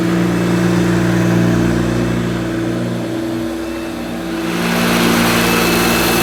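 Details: 1971–74 Hoover Dial-A-Matic 1149 upright vacuum cleaning low-pile carpet: loud steady motor hum that dips briefly then recovers as it's pushed; owner judges it sounds as it should, just noisy.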